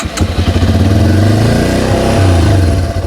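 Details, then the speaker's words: Fully warmed Yamaha TW200 single-cylinder with a large vacuum leak at the carb-to-head boot, running only on choke: thumps unevenly, surging and sagging, unable to idle; stalls without choke. "Yeah, it does, but you really can't idle it, at least with that much of a vacuum leak."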